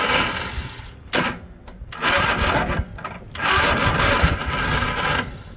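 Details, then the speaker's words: Cub Cadet zero-turn mower with Kohler engine, after repairing rubbed-through wire, fuel solenoid clicking with 12 volts; rough gritty crunching bursts on key turn, no catch; crunchy Kohler starter grinding, no start. "I got the crunchy Kohler starter. That's it. There's your crunchy no start"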